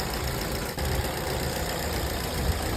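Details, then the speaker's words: Petrol car after leaking fuel vapor solenoid valve was tapped to reseat and reinstalled, fixing daytime no-start from over-rich mixture: started at midday, idles with steady even low rumble, no misses, knocks or surges. "在问题已经彻底解决了，发动机运行的特别平稳。"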